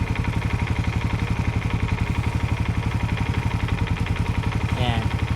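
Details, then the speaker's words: Suzuki Raider FI idling after its exhaust pipe stud bolts were replaced with stainless ones: steady, even putter about four pulses a second, with no hiss or puffing at the joint and no leak heard or felt at the side. The exhaust is sealed. "So, upon hearing, wala naman akong naririnig na singaw. And wala akong nararamdamang singaw dito sa gilid mga par."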